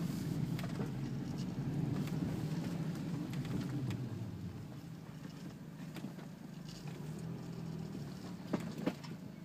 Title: Audi A4 B6 bad wheel bearing